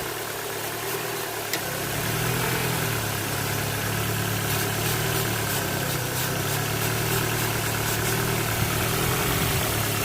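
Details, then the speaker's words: Ford Focus 1.6 petrol idling high, lean and slightly uneven with fluctuating revs; the revs change as a spray of starting fluid reaches the intake vacuum leak, which is the fault. "you hear the the engine changing the refs catching fuel out that's my problem will right there so in this case I could clearly hear the vacuum leak"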